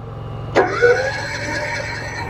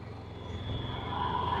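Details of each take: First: Honda EU7000iS generator (389 cc GX390 EFI OHV 4-stroke, fuel-injected), drained then given 32 oz of gas: it catches at once on the first pull and settles straight into an even, steady hum with no stumbling; normal start. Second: Honda EU7000iS (389 cc GX390 EFI) vs carbureted Yamaha EF6300iSED generators, each on 32 oz fuel under 1000 W load; at 45 minutes the engine note climbs and swells, hunting, both surging from fuel starvation before the Yamaha shuts off at 46:45.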